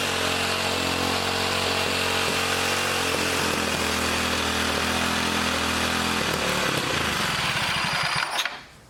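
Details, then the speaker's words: 1959 military single-cylinder engine run off a fuel line dropped in gas: chugs at steady speed then abruptly dies, can't hold idle; governor faulty or its bent linkage rod binding despite loosening and straightening; governor to be eliminated for mini bike use. "Well, yeah, there's something wrong with this governor, or this rod is binding. See, it's all kind of bent, kind of cattywampus. I tried to straighten it out to get it to move freely, but it won't idle."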